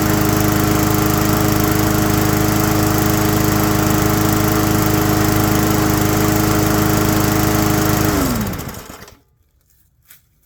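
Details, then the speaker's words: Abandoned mower after a tune-up and carb work: steady, even drone, then a smooth coast-down to a stop. Most of the earlier heavy vibration is gone, with a little remaining. "okay um a huge part of that vibrations going there's a little bit but I mean it's a working machine so you can't uh you can't make them perfect I'm very happy with that"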